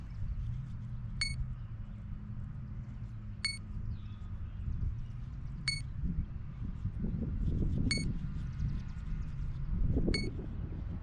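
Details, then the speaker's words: Sonic Modell Skyhunter RC plane with ZOHD Kopilot Lite and Spektrum AR6610T receiver before maiden flight: short high motor beeps about every two seconds over wind noise, normal arming sound. "then when you hear the motor go beep beep you know what makes its normal arming sound then it's ready to fly"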